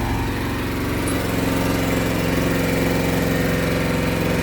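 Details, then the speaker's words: Quad (ATV) awaiting specialist repair: rough uneven idle surging and sagging, always hunting for a different idle, later choked down on its own without being touched; cause not found; hunting idle. "Hear how it runs? All weird. It's like always hunting for a different idol."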